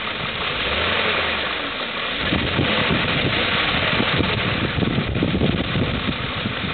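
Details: 2002 BMW M5 idling with a light, uneven tick about four per second over the running sound; engine ticking at idle, cause not pinned down.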